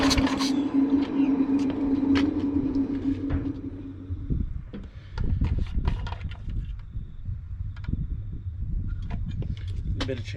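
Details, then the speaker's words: Briggs and Stratton engine on Cheetah ride-on mower being revived, oil low: hums unevenly about four seconds, pitch wavering and hunting, then cuts out amid clunks; running rough, owner suspects a carburettor problem. "Sounds like we've got a carby problem."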